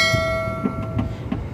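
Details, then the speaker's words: Daikin R410A air conditioner: fan turns very slowly, pipe dry with no condensation, not cooling; compressor not running with intermittent hum that cuts out, from a failed capacitor being replaced. "dan ada suara dengung sesekali dari kompresor, teman-teman."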